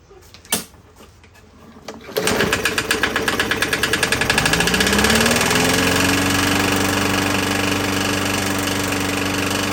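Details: 21-inch Murray 125cc push mower: after pull start it catches with uneven, choppy beats near four per second as the tone climbs and settles, still rough; something slightly out of adjustment suspected; oil later shows a metal sheen; cause unconfirmed.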